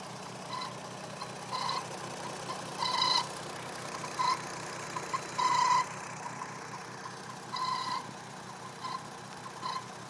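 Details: Intermittent squeak at idle on a 2008 VW R32: idling engine with short, high squeaky chirps at uneven intervals, roughly every few seconds; source unidentified.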